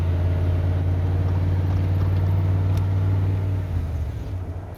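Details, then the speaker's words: 1988 OBS truck after a new ignition module, distributor cap and rotor to cure a misfire, warmed up and driven on the road: a deep, even engine drone with no misses, skips or pops, running much smoother than before. "Running a whole lot smoother than it was last night."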